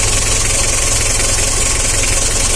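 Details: Mitsubishi L300 diesel with hard morning starting and weak pulling, after tune-up work: even diesel clatter at a steady idle with no tapping or ticking over the combustion rhythm; valvetrain quiet, normal idle.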